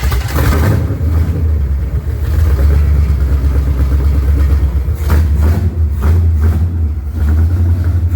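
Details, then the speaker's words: Junkyard-rescued Chevy Nova V8 after a fuel line repair, first run: deep rumble at fast idle with a slightly uneven beat; running on seven cylinders, one cylinder dead. "we made smoke and the engine runs yeah yeah it actually runs real good for seven cylinders"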